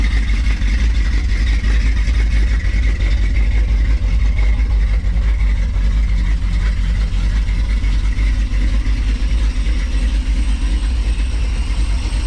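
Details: Dodge Challenger 440 V8 revived after sitting 15 years: deep, steady idle with a slight uneven cam lope and no knocks or ticks. The engine sounds healthy.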